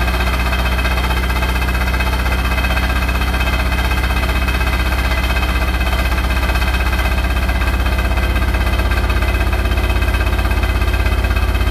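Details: Hotpoint NSWR843C washing machine on its final 1200rpm spin: a steady loud roar with a fast, even throb and rattle riding on it; excessive rattling noise, cause unclear.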